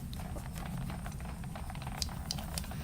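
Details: 1999 Honda 400EX quad with wheel wobble, tire spun by hand: irregular light clatter and ticks as loose objects roll around inside the tire.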